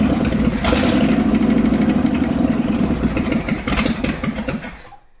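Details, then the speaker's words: Ford F250 truck sitting 26 years, after carburetor float adjustment that cured flooding: V8 runs rough and uneven, sagging and surging, then dies; stalls and won't idle without choke. "so these flooding issue is fixed but now it doesn't run had idle without choke so we're back to square one"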